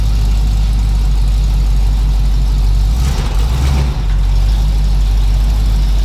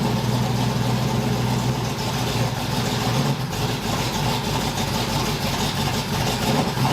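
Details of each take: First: 1981 Cutlass Supreme small-block Chevy V8, running outdoors after the valve lash, spark plug and timing/HEI repairs: a deep, steady idle with a quick throttle blip midway that settles back smoothly. Normal idle. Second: 1981 Cutlass Supreme small-block Chevy V8, cold start during hot-lashing with the polylocks retightened: it stumbles and shakes at idle with uneven chuffing and faint popping. Owner wonders if he was overzealous; the valve lash is overtightened.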